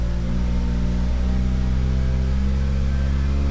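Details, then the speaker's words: 2009 Ford Fusion 2.3L, cold start with head temperature around 48° and climbing: low, heavy idle drone that is not fully smooth, a misfire needing throttle to stay running, traced to a vacuum leak from a faulty intake manifold. "the heck was that noise look like it's got a misfire oh boy trying to keep it running with the throttle"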